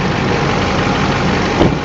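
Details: 2008 Silverado 2500 Duramax diesel idling with one sharp pop as the steering turns; popping noise caused by loose engine crossmember bolts, cured by cleaning, greasing and torquing the four bolts to spec.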